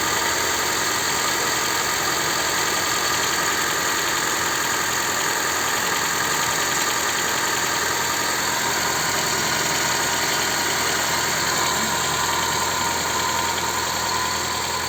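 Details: Honda Civic 4D engine at cold idle: steady hum with a faint, fast light tapping that begins after about 25 seconds; cold-start engine knock of unknown cause.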